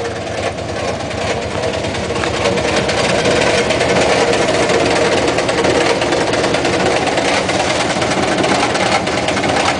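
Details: Washing machine: loud rough rattling with fast uneven ticking, about two a second, over a heavy thumping drum while the machine shakes and moves about violently; cause unknown.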